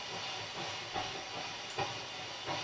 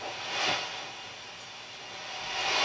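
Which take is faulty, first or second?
first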